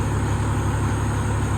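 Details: 2003 Freightliner Columbia, Caterpillar 3406 (6NZ) diesel, after work on the number 5 injector that caused yesterday's problem: deep, steady, even idle rumble at correct rpm, no misses or knocks.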